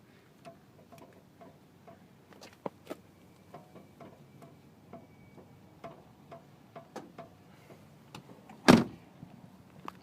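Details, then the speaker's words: Parked VW MkV GTI: quiet, irregular creaks and ticks from the wheel area as the door and body are rocked, then a thud. It happens every time someone gets in, on both sides; owner unsure if normal. "let's play a game called what is that sound coming from my wheel so I'm kind of reefing on the door right now it does this every time I get in the car"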